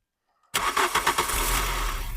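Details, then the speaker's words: Mk3 VW Golf GTI 8-valve petrol, 115,000 miles, sat six years since 2016, first start after fuel pump reinstalled: short crank, fires cleanly to a smooth even idle and revs with no rattling, knocking or scraping; normal start. "I don't think you can knock that is Dale petrol but it's not rattling banging scraping knocking or making horrible noises"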